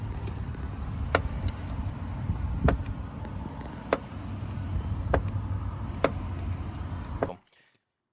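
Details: 2018 Tesla Model 3, driver front door: sharp single knocks, about one every second or so as the door swings, over quiet street noise; a worn door check strap.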